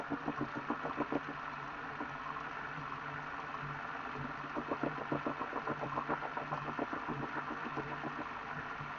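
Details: Elite Direto XR trainer after under 5,000 km: bursts of quick knocks about three a second over soft whir, louder under harder riding; rubber bits found, owner suspects idler pulley or belt wear, unconfirmed.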